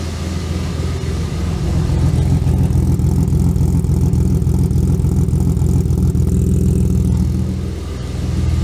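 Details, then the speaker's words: BMW E36 325i that lost cylinder number one, after camshaft position sensor replacement: low uneven idle with a lumpy stumble about three times a second and smoke, smelling of unburnt fuel; misfire persists, sensor was not the cause. "um let me kill it oh oh it smells terrible on burn fuel i'll tell you well um apparently that's not the problem"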